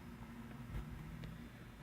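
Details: A 1931 Emerson desk fan, Model 29646, runs on low after repair of its oil-fouled speed control contact and a cleaning. It gives a quiet, steady low hum with a soft airy wash and no rubbing or ticking; it turns freely.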